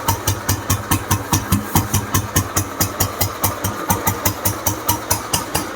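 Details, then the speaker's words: 1968 vintage Bullet single with completely restored engine after full restoration: slow even thump about 140 per minute, steady exhaust beat, no tapping or rattle; healthy idle. "இன்ஜினோட பீட்டும் பார்த்திங்கன்னா ரொம்ப சூப்பராக இருக்குது."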